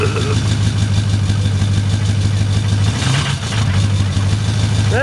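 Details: 6.0L diesel cold start with bad injectors, revved up: lumpy clatter at cold idle with an uneven knock about three times a second, rough running from faulty injectors.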